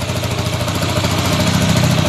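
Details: Motorcycle that was hard to start and whose idle climbed once running; normal idle after cleaning the dirty carburetor and adjusting valve clearance: a steady, even low putter with no hunting or surging that settles smoothly and holds.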